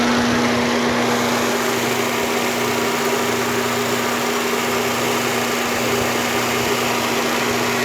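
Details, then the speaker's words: Fiat Palio 1.6 8V SPI after cooling fan repair, engine running: fan and engine hum steadily with no rubbing, rattling or scraping; fan noise now normal. "Agora sim, zerada, barulho normal."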